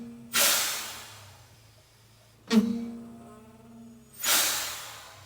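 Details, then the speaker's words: Detroit Diesel 6V92 truck after air line swap, park brake off, brakes applied; three sharp hissing bursts each fading slowly, owner suspects a blown seal on the park brake valve. Air leak past valve seal. "cuz I may just have a blown seal on that and this could possibly be correct"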